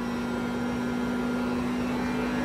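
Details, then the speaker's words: 2021 Jeep Wrangler 4xe plug-in hybrid, 300-volt electric AC compressor on a hot, humid 85-degree day, AC at max with recirculate and drawing up to 5 kW: loud, steady low hum with no knocks. Normal, do not replace. "when it's at five kilowatts that compressor is really really loud you can hear it now"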